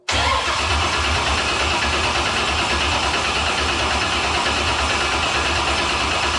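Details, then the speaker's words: Mechanical-injection diesel in a cold shop (about 45°F), primer bottle laced with gas: starter cranks steadily but the engine never catches. No fuel delivery because the injection pump, rebuilt four weeks earlier, seized; end play was likely set too tight and the drive shaft broke. "Let me take off the fuel line real quick. I don't think it's getting fuel. Well, I've been tracking it down. We're not getting fuel."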